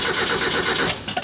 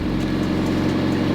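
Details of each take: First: Barn-find Mazda Miata sitting 3 years, aftermarket intake, little fresh gas added: under a second of quick starter churning dying into clicks, no firing; crank no start, owner suspects fuel pump wasn't priming. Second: Mazda Miata barn find, unstarted for 3 years, idles right after first start once the fuel pump picked up. Good oil pressure, oil unchecked, brakes seized. Steady, even, smooth low hum with no knocks or misses: normal idle.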